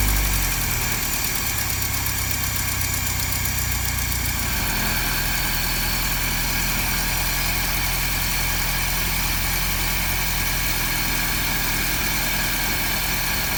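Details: 1955 Land Rover Series One with rebuilt engine, gearbox and transfer box, unrun for about 50 years, SU fuel pump addressed, timing and carburettor tuned by ear: it settles into a smooth, even idle with a steady low rumble, no knocks or misses; normal idle.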